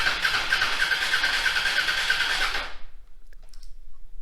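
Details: Honda Africa Twin motorcycle: starter spins engine steadily under three seconds with no firing, then silence; spark at plug confirmed, owner suspects failed fuel pump, later replaced.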